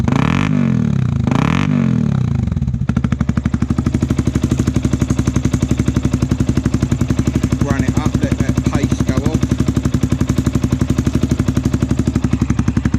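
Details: Yamaha WR125R on a cold day, after swapping the stock exhaust for a Black Widow stainless system with no catalytic converter and the baffle still in: after a few seconds of cranking it catches and settles into a steady, even, deep putter at idle; normal.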